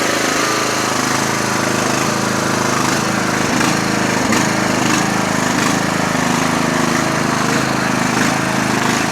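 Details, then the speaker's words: Lawn tractor started after the fuel shutoff was opened: a loud, steady single-cylinder drone with an even beat and no misses or knocks, a healthy, normally running engine. "Sounds great. Good tractor, like I said."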